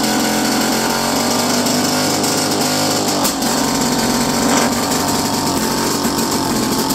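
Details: First start in a while of a 1929 Lockwood Racing Chief outboard, single carb, 1928 lower unit, muffler that looks welded and cut: rapid, even two-stroke buzz steady throughout at constant speed, no misses or knocks; running cleanly.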